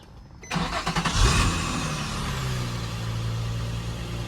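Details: Drift car after replacing a rain-soaked, stuck-together air filter: quick crank, catches within a second, brief flare then steady even idle; clean normal start.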